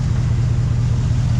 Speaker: It didn't die, but it's only running at like 4 cylinders, it sounds like.